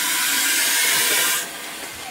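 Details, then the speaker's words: Keystone Cougar RV built-in No Fuss Flush black tank flusher tested after repair, nozzle remounted with Teflon tape and marine silicone: strong steady spray hiss dropping to a softer wash, flushing freely. "okay looks like we got water coming in sounds like it yeah can hear it flushing down"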